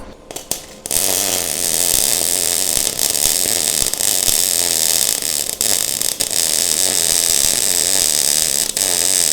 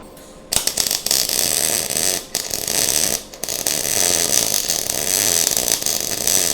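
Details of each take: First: Now, that sound sounded a ton better and looks a ton better. So, we're going to roll with that. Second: MIG welding on a 1:8 scale GP40 locomotive project: harsh, spitty crackle with short breaks instead of a smooth sizzle; welder suspects too hot, wire feed likely too fast, later slowed for a better weld.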